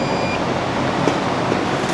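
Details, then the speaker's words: Welder armature tested with a multimeter on continuity, probe from shaft to commutator: a short high beep shows the winding is shorted to ground, with a visible burnt winding. "you can hear that one beeping means it has a ground"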